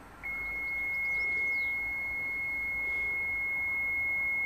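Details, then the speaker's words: Mitsubishi Shogun with HBB brake system, no brakes, ABS and brake lights on: one long unbroken high warning beep over a faint hiss while the booster pump motor runs but doesn't build pressure and stop; system pressure not built. "I can definitely hear the motor but obviously he's not building the pressure he should build the pressure to a certain point and stop"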